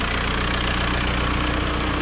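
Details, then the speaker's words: 2003 VW Beetle 1.9 TDI diesel after oil change and turbo wastegate replacement: even idle with light steady tapping clatter underneath; normal tappety diesel valve tick, exhaust smell in engine bay noted. "When it's a diesel, so there's that. But there's always a little bit of a tappy motor."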